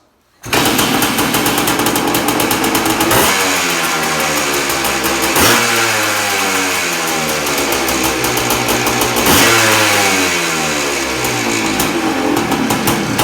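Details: 1979 Suzuki PE250 two-stroke after a new 38mm carburetor replaced one with a sticking, leaking float: catches quickly on choke, crisp ringing crackle revs and drops back cleanly, runs evenly.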